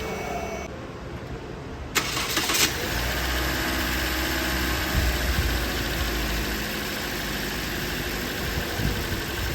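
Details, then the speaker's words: Toyota Corolla engine after timing chain tensioner replacement to cure an engine noise: catches at two seconds and settles into a smooth, even idle with no ticking or rattle, sounding normal. "हान तो दोस्तों आवाज़ engine की बिल्कुल normal है जिस तरह जिस तरह के होनी चाहिए"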